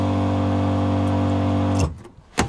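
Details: VW T3 (T25) budget van conversion, newly wired 12 V water pump switched on: a steady, even low electric hum with constant pitch, then a clean cutoff, so the pump runs normally.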